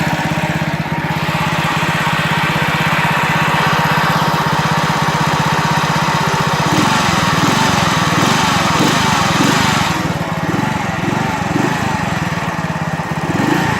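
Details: Alfa moped engine revving up, a rattling knock starts from about 4000 rpm, with strong vibration in person; cause not found.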